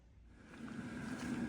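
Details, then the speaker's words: Eberspächer Airtronic diesel air heater after clearing a blocked air intake port and fitting new gauze mesh: soft, steady roar building smoothly as the burner catches, even and settled; heater running normally on a repeat test. "All right. So, I can hear that's running well. Second time through. We'll give it this 10 minutes, then another shot just to make sure that all is well before I fix it in place."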